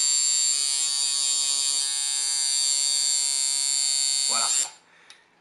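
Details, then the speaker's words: Coil tattoo machine, contact screw backed one turn from contact and tightened: even, bright buzz at a steady pitch for over four seconds, then cuts off cleanly; normal running, well-tuned coil tattoo machine. "Vous entendez la fréquence, comment elle est belle? Ça veut dire que la machine là, elle vibre, elle tatoue comme une bête, ok?"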